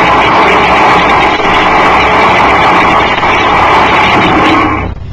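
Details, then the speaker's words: Mid-1960s Turbonique Inc. (Orlando, Florida) monopropellant-burning thrust engine running on a static thrust measuring stand without a thrust-augmenting ejector, exhaust jet discharging into still air: very loud steady hissing roar for about five seconds, then sharp cutoff; normal operation. "thrust engines will be heard operating on Germany static thrust measuring stance his high velocity exhaust jet discharges directly into the still surrounding air"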